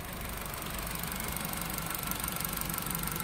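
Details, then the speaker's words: 4-cylinder car running on LPG after replacing all four worn STAG WC-03 gas injectors with a new set: even idle with light regular injector ticking, no jerking; running smoothly. "i bajka jak maczkiem zasiał także tak No to po wymianie wtrysków będzie dobrze chodzić"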